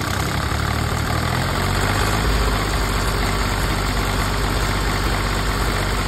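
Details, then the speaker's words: PC10 excavator diesel that would not start, after suction hose repair: steady low rumble at idle, lazy and unsettled, engine running rough with air still in the fuel system, bubbles visible in the return line. ">> Parang ano pa malamya pa yung an >> O malamya pa kasi may hangin pa yung ano natin ah tingnan mo yung return bubbles pa."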